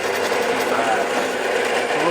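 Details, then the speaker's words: Drill press with larger bit drilling aluminium; harsh, steady buzzing rattle is chatter from spindle speed too fast for this bit, overcome by increasing feed slightly. "all right so now as this one tries to it's going to chatter it's going to chatter a lot"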